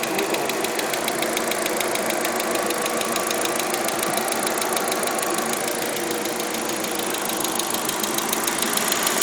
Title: Audi a4 weird ticking noise 3